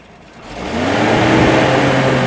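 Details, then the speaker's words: Toyota truck (second-gen Tacoma platform) viscous fan clutch modified with added 10,000 cSt silicone fluid: engine revs and a sustained whooshing roar swells as the fan clutch engages hard, then disengages. "All right. So, the fan hit and then it disengaged."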